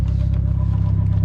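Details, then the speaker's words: Car on a first drive after getting it started: a deep, rapid rumbling pulse under the running engine, no pitch change; owner is pretty sure it is the clutch, since it goes away when the clutch pedal is pressed. "all right can you hear can you hear the trance because it is the clutch that's making that sound well i i'm pretty sure it's a clutch that makes that sound but as soon as you uh as soon as you actually uh step on the the clutch pedal it goes away"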